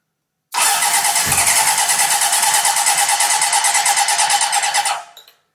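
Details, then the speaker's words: Honda CB750 engine with carbs on a stand, likely first run in over 10 years, after swapping points signal wires; sudden catch into ragged firing about four seconds then cuts out; popping, ignition now right, fuel mixture needs adjusting. "yeah you hear it pop so that should be light up correctly now we just need to play around with how much fuel is coming through"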